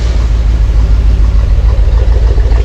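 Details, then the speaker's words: 1971 Corvette convertible under restoration, V8 idling right after timing adjusted with timing light: deep, steady, even rumble with no misses, knocks or hunting; that's what it's supposed to sound like, healthy idle. "all right we got our time now and that's what she's supposed to sound like"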